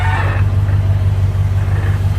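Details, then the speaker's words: Worn 1957 Chevy convertible V8 with over 250,000 miles, idling after the loose exhaust manifold bolts on that side were retightened to stop a mid-manifold leak; deep even burble with no exhaust clacking, the manifold joint now sealed. "it's I think it's sealed up [Music] because even at idle before you hear that clack clack clack in the exhaust"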